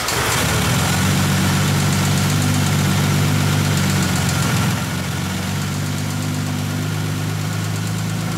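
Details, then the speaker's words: 1959 Aston Martin DB4 straight-six barn find, unstarted since 1982 at the earliest, now running after new ignition parts were fitted: a steady even low rumble with no misses or knocks. Normal running. "wasn't it great great to hear that db4"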